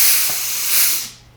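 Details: Air disc brake being applied after the adjuster was backed off: a sharp burst of air hiss that tapers off and goes quiet within a second. Normal air brake application.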